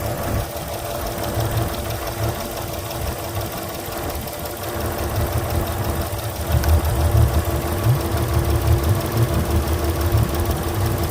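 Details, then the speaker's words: Port Yamaha outboard on a Pursuit 385 after swapping injectors two and six: lumpy uneven idle with one cylinder dropping out, still missing; lost coil signal suspected. "now let's fire it up see what it does still missing"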